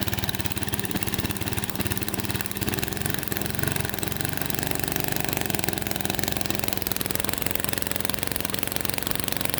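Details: Lawnmower that sat at least five years, with replaced carburetor, oil and fuel: small single-cylinder engine chugging unevenly at idle, firing beats stumbling and never settling; rough idle, cause not pinned down.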